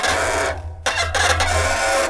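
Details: Bicycle disc brakes squeal shrill and screechy in two bursts over a steady low hum; slip-stick vibration causes the squeal, located with an acoustic camera.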